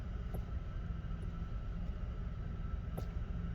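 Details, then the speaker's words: 2001 Mercury Grand Marquis idling: over a low rumble, a few sharp, isolated clicks sound from the steering when the wheel is turned left; turning right is silent. "when I turn the steering wheel to the right it everything is like fine no no sound no noise to the left there's like a clicking sound"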